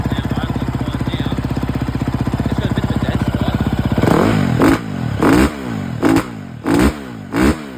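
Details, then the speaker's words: 2011 KTM 350 SX-F single-cylinder, fuel tank already swapped: clean idle, then short blips that fall flat at the top instead of pulling cleanly; massive top-end dead spot, super lean from a clogged fuel injector, later fixed by replacing injector, tank and spark plug. "after I switched the tank I still had a massive dead spot up top end had no power at top end it was super lean uh so the injector was clogged"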